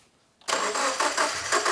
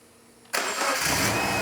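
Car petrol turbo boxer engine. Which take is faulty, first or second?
first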